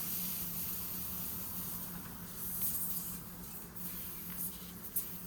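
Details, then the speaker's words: Tire punctured by a nail, nail head pulled out to locate the hole before plugging with a Slime kit: thin steady high hiss over low hum, air escaping through the tread hole; puncture air leak. "But this is definitely where it's freaking leaking from, bro."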